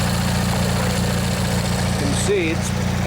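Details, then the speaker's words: Old Montgomery Ward MTD riding mower, vintage Briggs & Stratton 16 hp flathead opposed twin, after replacing a worn starter motor, first run in one to two years: smooth even low thrum at steady idle, no misses or knocks, slight smoke. Normal idle. "let this run a bit let you guys listen if you want yeah it runs real nice"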